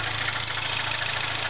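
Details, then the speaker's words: MINI Clubman S, turbo 1.6, 6-speed, Magniflow cat-back exhaust, cold start: fast even light ticking steady with engine speed, like a knock; cold idle ticking, suspected valve tap or lifter, unconfirmed. "almost sounds like a knocking noise yeah it doesn't sound good but it's uh and then you of course you got some kind of lifter well actually this is probably overhead C you have some kind of valve tap or something going on"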